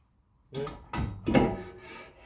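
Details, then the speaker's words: BMW F30 rear, during the brake job with the rotor refitted, during parking brake adjustment: a few short, dry scrapes as the rotor is turned by hand. Parking brake shoes are rubbing the drum; back off 3 turns from the point of contact. "can hear that now? There's a little bit of rubbing. So we want to back this up."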